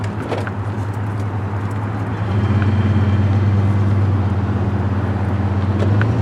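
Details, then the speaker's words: 1968 Cadillac DeVille V8 on a road test after swapping a troublesome Amazon carburetor for a new 750 CFM Edelbrock 1411: smooth V8 rumble builds evenly as revs climb, no stumble; revs progressively and pulls well, normal acceleration. "I think this thing just completely transformed the car it's um I think real nice it revs progressively uh it gets up and goes when you need it to"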